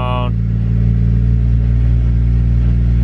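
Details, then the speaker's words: Nissan R34 Skyline idling high, initially around 1300–1400 rpm; after the idle screw is adjusted it is still about 1100–1200 rpm. Steady, even hum above normal tickover with no misses or knocks; idle set too high, needs lowering further. "still a little high around like 1100 so I'd 1200 lower a little bit more"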